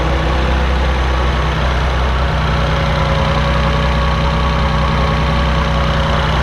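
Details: 1984 Maserati Biturbo with a fuel-injected engine swapped from a 1989 Biturbo and a new fuel pump fitted for hesitation. An even, steady low rumble, settled and quieter than the choked cold start, with no misses, knocks or hunting: a healthy warm idle.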